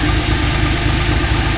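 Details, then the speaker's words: TVR Tuscan after balancing the throttle bodies: fast, light tapping over a steady idle that seems to come from the middle, top end of the engine. Cause not confirmed; the owner expects to take the head off. "But otherwise that sounds so That is so infuriating when it runs it runs so well. Um, there's something not quite right and it definitely sounds like it's in the middle."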